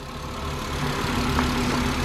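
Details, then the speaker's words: 2012 Volkswagen Passat bought to flip, jump-started with an expired battery: smooth, even idle hum with a steady low note and no knocks, ticks or misses; engine sounds really healthy at normal idle. "it sounds great [Music] yeah it sounds really healthy"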